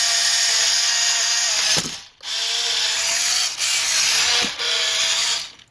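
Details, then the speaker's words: WPL B-1 1:16 RC military 4x4 truck, stock steering servo, at power-on: short bursts of high ratcheting buzz with gaps, gears chattering as the weak servo strains; servo gear chatter, cause unconfirmed, ESC and servo upgrade recommended. "Not a very highly powered or high-powered steering motor."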